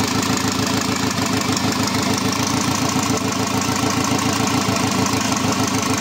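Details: Škoda 1.4 MPI turbo after readjusting the position sensor, engine refitted with gearbox: fires and settles into even steady idle, regular beat, no misses or knocks; runs properly.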